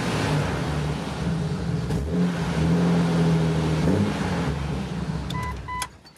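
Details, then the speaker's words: Jeep Cherokee XJ 4.0 six-cylinder, new larger tailpipe behind Cherry Bomb muffler, rattling hanger removed: deep rumble swells on throttle and falls away cleanly, with slight 4.0 chatter; normal exhaust note, no leaks or rattles. "I think it sounds good these four point knows it's hard to make them sound you know good per se so they always sound like mail trucks the little mail jeeps the three cylinders"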